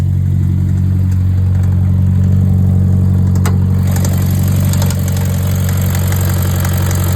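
A steady idle with a deep, regular tapping at roughly four per second riding over the rumble, a knock worth checking for bottom-end wear. Cause suspected, not confirmed.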